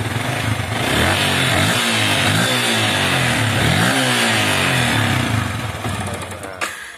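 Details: Yamaha Vixion motorcycle that stalls, starts hard and sputters: engine idles unevenly, revs surging and sagging, then dies after running briefly; spark plug already replaced, regulator (kiprok) checked OK.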